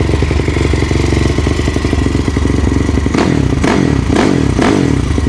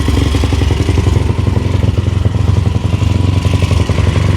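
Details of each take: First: Yamaha YFZ450 with 480cc big bore kit, freshly rebuilt after a blown head gasket, 65 pilot and 175 main jet, running through heat cycles: steady thumping idle, then short throttle blips rise and fall cleanly; warming up normally, no knocks. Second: Yamaha YFZ450 with 480cc big bore kit, freshly rebuilt after a blown head gasket, 65 pilot and 175 main jet, idle being adjusted: single-cylinder thumping at low idle with a slightly uneven beat; owner suspects pilot jet a little big, possibly rich.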